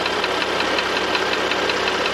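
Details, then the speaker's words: Porsche Panamera 3.0 turbo gasoline engine brought in for engine noise; once hot, a sharp, even ticking that speeds up with revs on a light throttle blip and with road speed when driving; source not yet identified. "지금 차주분께서 엔진 소음이 난다고 해서 입고를 하셨는데 몇 가지 점검하다가 열이 받으니까 이런 소음이나요 딱딱딱딱"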